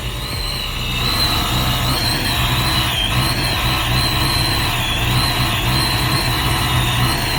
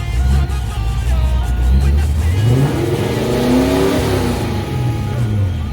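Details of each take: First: Supercharged Saleen Foxbody Mustang V8 at first cold startup on a new base tune: lumpy, uneven idle with wavering supercharger whine, running rich on cold enrichment, about 12-14 inches vacuum; tune still needs fixing. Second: Supercharged 1988 Saleen Foxbody Mustang warmed to about 160°, after a new intake, rocker and valve adjustment, a replaced EGR spacer and a fixed vacuum leak. It revs up cleanly and settles smoothly with no stumbles, though it is running rich and needs tuning.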